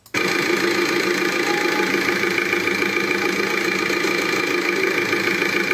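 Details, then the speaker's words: Volkswagen TDI BKD diesel brought in for very unstable idle; loud clattery hunting idle about three beats a second, not an injector fault but engine oil entering the diesel through a failed tandem pump. "that they brought us to the workshop, because the idling speed was very unstable, this engine did not work well, listen to it,"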